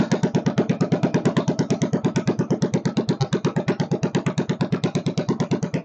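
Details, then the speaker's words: Kohler K301 stationary single-cylinder, first start with a bit of chainsaw gas mix added for lube and fuel pump leaking: even, rapid thumping about nine beats a second, no misses; runs fine, only the idle speed needs setting. "oh she needs a little adjustment on the idle circuit not idle circuit the idle speed I should say"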